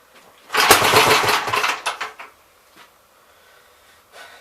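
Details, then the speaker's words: 1964 Gravely L tractor built from spare parts, not run in a long time, with a worn carburetor (welded throttle shaft, broken choke lever): one short rough burst after the pull, then dead; fires once and dies, owner suspects losing spark. "So, it's firing. It's firing once. You guys think it's losing spark?"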